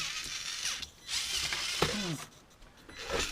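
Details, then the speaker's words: Mini-Z 4x4 Suzuki Jimny RC car after repairing its board, powered at 6 volts from a power supply: short bursts of high whirring gear noise rising and falling with throttle, clean and unbroken; motor and drive now work normally. "Steering did already work yesterday and it's running! Finally my Mini C is running."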